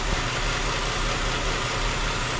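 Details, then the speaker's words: 2008 Chrysler 300 2.7 V6 idling after water pump and timing chain job: steady airy hiss over slightly uneven rumble, intake manifold gasket vacuum leak causing cylinder 1 misfire; planned fix is new upper and lower intake gaskets. "Yeah, I can hear that leak. Air leak down in there. So, what we going to do is um take up this intake and replace these intake baskets."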